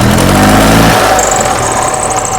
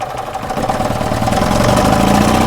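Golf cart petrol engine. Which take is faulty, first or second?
second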